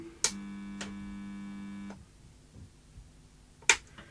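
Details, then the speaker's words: Technicolor/Funai CVC video recorder on first power-up through an isolation transformer: loud steady low buzz about 1.5 s, then a click as the 3.15 A anti-surge input fuse blows; unit set for 110 V on 240 V supply. "that didn't go very well there was a loud buzz and it popped the fuse in my isolation transformer"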